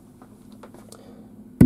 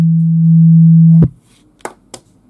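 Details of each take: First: KEF KC62 subwoofer, volume at maximum: quiet hiss, then loud steady low buzz the instant a metal rod touches only the centre pin of an input, like an unshielded cable; 50 Hz mains hum from ungrounded input, gone when ground is connected. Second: KEF KC62 subwoofer playing generator test tone while filter, phase and room-correction modes are toggled and mains earth disconnected: steady pure low tone, no hum, stops cleanly; none of these changes affect it, no fault.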